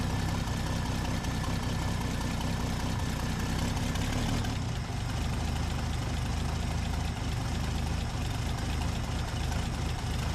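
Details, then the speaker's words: 1966 Dodge Dart V8 with a newly installed replacement camshaft during break-in, possibly still cold: deep, slow, lumpy idle close to stalling that needs throttle to keep running; idle speed set too low. "sounds good but the idle's too low I've got to keep my foot on the gas if I do this it might be just cuz it's cold but I can feel it's like idling too slow"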